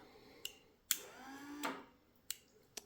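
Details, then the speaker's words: Toyota electric diff locker wired with two relays: quiet room with a few sharp single clicks spaced apart as the solenoid or relay clicks at the limit. Working correctly. "So you can hear the solenoid or the relay click when it reach the limit."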